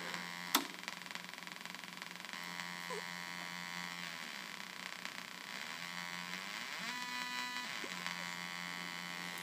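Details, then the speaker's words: 1976 Octave CAT analog synthesizer, oscillator circuit: a faint, thin, steady buzz with a few wavering tones under quiet room hiss. Oscillator seems to run but output isn't amplified; faulty transistor array suspected. "but there's just something going on with the uh the op amp where the the transistor it sounds like it's actually oscillating it's just not being"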